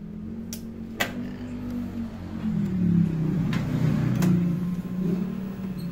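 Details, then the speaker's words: Honda Click 125i that stalled over bumps and would not start, with no check-engine light, after repair by splicing and taping a wire and replugging the socket: a few clicks, then it fires and holds a steady buzzing idle. Normal start. "aandar y Okay na so naandar na siya y"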